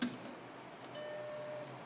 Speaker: And when you start up the Macintosh, it had a very particular ding, and it still has that. You'll hear it.